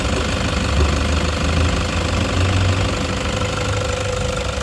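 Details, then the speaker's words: 2016 Toyota Hiace 3.0 diesel at idle: loud, intermittent ticking coming and going over the diesel clatter, traced to a worn, wobbling alternator pulley, not the engine; pulley to be replaced. "ganyan yung nangyari, sumpong-sumpong yung ingay, lumalagitik na malakas, isa talaga naging problema natin dito, alternator pulley mga paps."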